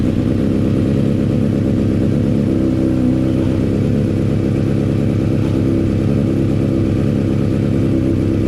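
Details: Honda CBR600RR idling after a decat mid-pipe was fitted and sealed with silicone. A steady, even four-cylinder burble with no ticking or puffing at the pipe joints, so there are no exhaust leaks. Normal idle.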